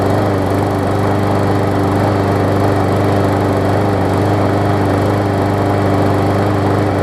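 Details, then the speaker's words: Murray big wheel mower, original engine refitted with the base plate from a swapped engine that had blow-by: starts on first pull and holds a steady, even single-cylinder drone with no misses, knocks or surging; normal running. "just want to finish this follow-up to this mower here and show that it runs hopefully runs good"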